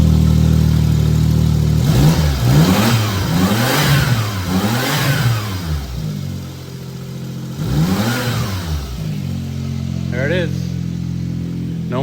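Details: Suzuki Jimny turbo returned to stock, blow-off valve and intake kit removed, original vacuum line refitted, fuel pressure regulator and fuel filter replaced: steady idle then quick clean blips rising and falling smoothly, no whoosh on lift-off; normal idle and revving.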